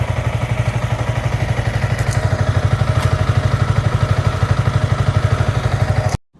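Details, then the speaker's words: Motorcycle after first engine flush and chain adjustment: even low thumping idle about three beats a second, steady and clean, no rattle, sound clearly changed after flush; normal idle. "Sound তো শুনলেনই, বাইকের sound একদম change হয়ে গেছে।"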